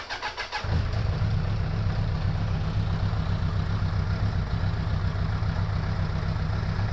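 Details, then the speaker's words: 2002 Suzuki Bandit 1200S four-cylinder after fixing a vacuum-port leak: catches, then lumpy uneven idle with a missing pulse; still dropping cylinder number three, spark present, no fuel, number three carburetor likely at fault. "number three no change so it's still dropping a cylinder yeah it's definitely number three i get a change on one two and four so number three carburetor most likely has got a problem"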